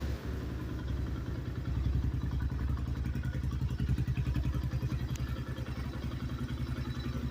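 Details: New 2024 Xpro Knight DLX 250: steady low engine note with a fast, fairly regular tapping that follows rising revs; engine knock, cause unknown.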